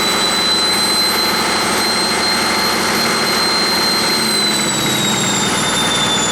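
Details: 1959 Caterpillar D337F diesel generator set, ex-hospital, barn-stored 10–12 years, about 959–960 hours, running with no load and barely at operating temperature: steady, even roar with a constant high whistle, no knocks or misses; normal no-load running.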